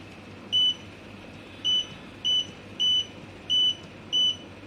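Six short, clear high beeps at uneven spacing over a quiet room; a normal test beep from a freshly repaired unit.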